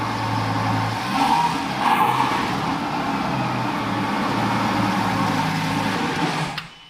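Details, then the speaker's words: Fire-damaged Lamborghini Gallardo LP520 V10 start after starter-motor repair; brief crank, catches quickly, flares and settles to a steady idle; smoothest start yet, now sounds as it should versus earlier high revs. "Guys, it's working. It's never started as smoothly as it just did."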